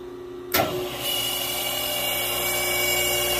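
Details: 1945 GE 3-phase 5 HP saw motor, first test run before rebuild on rotary phase converter: sharp switch-on then loud, shrill, steady full-speed whine; motor screamed loudly.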